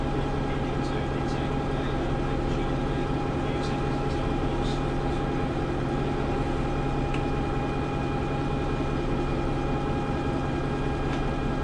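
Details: Preserved GM Buses MCW Metrobus Mk1 5120 (SND 120X) diesel, 2012 running day: deep idle drone with faintly uneven, loping beat; known idling problems, bad diff, sometimes won't engage third gear; rough idle, cause unclear.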